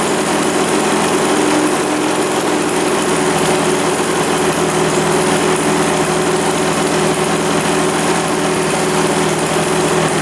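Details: 1999 Suzuki RM80 two-stroke dirt bike that wouldn't restart: steady buzzy high drone with no clear dying in this stretch; bike stalls intermittently, and a changed spark plug made it run much better.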